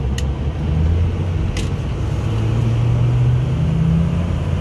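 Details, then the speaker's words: 2006 Ford F-350 King Ranch 4WD 6.0L Powerstroke diesel with straight pipe, deep even exhaust rumble rising smoothly under acceleration toward highway speed; no knocks or rattles, normal healthy diesel. "straight pipe sounds good super conservative truck"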